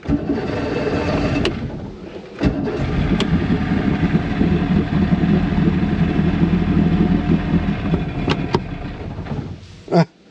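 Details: 1996 Force 120hp outboard after water pump replacement, hood on: it fires up and runs unevenly, the beat wandering rather than settling; a carburettor job was quoted, so a carb issue is suspected, not confirmed.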